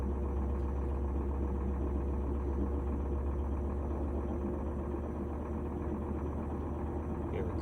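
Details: GE washer after cleaning an oil-contaminated belt and replacing the lid switch: it ramps up to high-speed spin with a smooth, steady low drone and no knocking, scraping or wobble.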